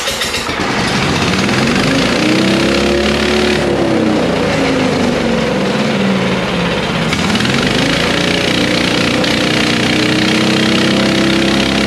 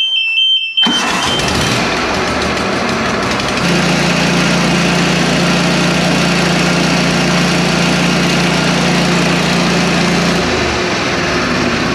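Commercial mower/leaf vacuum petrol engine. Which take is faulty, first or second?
first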